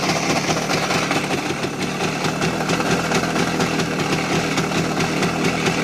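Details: Voskhod 3M two-stroke after rebuild with new piston kit and break-in, good compression and ignition timing: fast steady rattle-knock following engine beat at idle and high revs; piston unscored; owner suspects crankshaft bottom end, unconfirmed.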